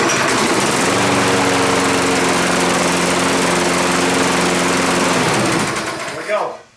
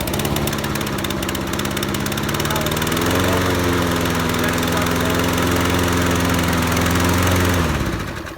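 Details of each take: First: Toro Recycler 20334 lawn mower after spark plug and air filter replacement and carburetor cleaning: it starts strong and holds an even engine note without stumbling or surging, then shuts off cleanly; normal running. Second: Toro Recycler 20334 lawn mower starts, then the beat sags and labours before dying; engine struggling after start, suspected clogged carburetor or bad gas.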